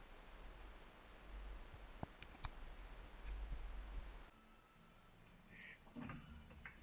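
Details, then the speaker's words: Mk3 Ford Cortina being jacked up on its old front coil springs, before the swap to uprated Burton springs; irregular squeaky creaks and dull clicks come as the front suspension unloads, with some tyre noise mixed in. "as I jack this up, you can hear all the springs creaking, it just don't sound right. Listen to them."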